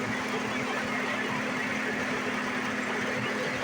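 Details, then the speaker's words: 2008 Saturn Vue XR 3.6L V6 FWD, first start after replacing valve cover gaskets, oil fill tube, spark plugs and air filter (fixing an oil smell when hot): steady, smooth idle with no ticking or knocking, sounding normal and no leaks seen. "I don't see anything new no weirdness nothing like that sounds like it normally does so yay that's how you do that"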